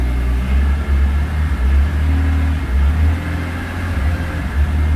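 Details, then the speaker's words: 2002 BMW E46 M3 drift car, about 200,000 km, cold, engine/EML light on: deep drone surging and dipping unevenly, stuttering between 2,000–3,000 rpm on light throttle, possibly worse in sport mode, owner suspects worse hot; faulty throttle position sensor. "You can see this kind of stuttering. Seems like it's not so bad when it's cold. Maybe it's get worse when it's hot."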